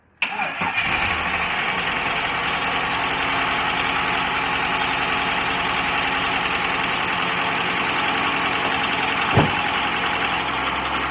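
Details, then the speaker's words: Holden VS Commodore L36 Ecotec ute, first start after a camshaft replacement with 5 L of oil added, lifters filling with oil: cranks, catches quickly and settles into a smooth, even idle with no lump at the exhaust. "as you can hear it running i went out the back and listened to the exhaust there's no lump anymore it's running beautiful and smooth"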